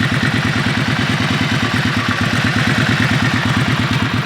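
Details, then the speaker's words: Auction-bought motorcycle expected to be a non-runner; steady, even idle with quick regular beat about three firings a second, no knocks or misses: runs great, normal idle. "Listen to it, it runs great."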